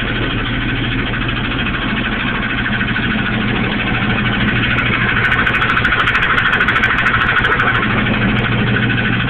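Engine idling with a steady, fairly regular knock of about three per second riding over it; source near the transmission, cause not pinned down. Cause suspected, not confirmed.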